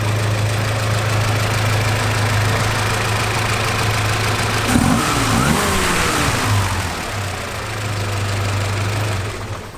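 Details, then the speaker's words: Barn-find classic, engine freshly serviced after sitting (points, spark plugs, plug wires, fluids replaced after it wouldn't fire); even, low, barely audible idle with one brief throttle blip settling straight back; normal idle, everything working. "i mean everything's working as it should i mean you literally cannot hear that run"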